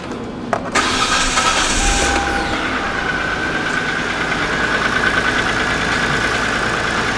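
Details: 2007 Hyundai Santa Fe 2.7 L no-start, after diagnosing the fuel pump circuit and bypassing the relay: engine cranks briefly, catches within a second and settles into a smooth, steady idle with no misses or knocks; normal start and idle.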